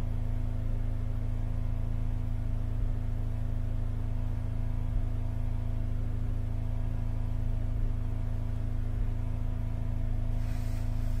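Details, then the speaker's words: Holden Captiva Chevy V6 towed in cranking but not starting, held at fast idle during a power balance test: lumpy, pulsing hum because cylinders 2, 4 and 6 on one bank are dead, while disabling 1, 3 and 5 drops rpm. "so one three and five noticeable differences two four and six nothing so we've lost two four and six that's proved by this Power Balance check that we've just done"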